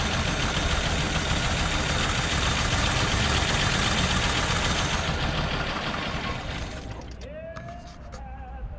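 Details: 1981 Oldsmobile Cutlass Supreme after fuel pump replacement, first start without jump: loud rough engine run for several seconds then fading; fires and keeps running on its own fuel, idling but not happily.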